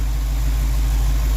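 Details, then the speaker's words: Old engine at idle after correcting the ignition timing, vacuum advance disconnected: deep, steady idle holding even, stumbling far less than before the timing correction; smoother idle. "she doesn't stumble half as much as she did before i mean she's kind of an old beast so"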